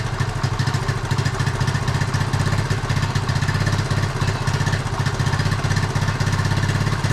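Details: Rough, uneven low idle with small single thumps and a dull exhaust note on a 1976 Honda Z50J1 Monkey that has run poorly for years; new carb fitted, owner plans to clean it, suspecting a blocked jet.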